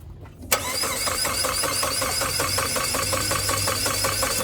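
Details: Saab 9-3 project car, new spark plugs fitted after finding worn, fouled electrodes: steady starter cranking at about two to three compression beats a second, never catching; fuel pump fuses and preheated fuel filter to be checked next.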